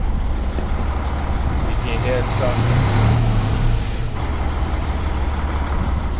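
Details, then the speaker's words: Freightliner Century diesel truck with the engine brake on low: deep, even rumble with a soft, muted bark as it slows; engine brake working normally and quietly. "you can hear it sounding that's engine brake although engine brake on high actually I kind of like this engine brake like there is not a whole lot of noise like these Peterbilt guys"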